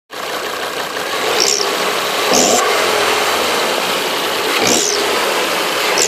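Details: Volvo V70 engine runs with a hissy roar and a sharp swelling whoosh recurring every couple of seconds; abnormal engine noise, cause not evident.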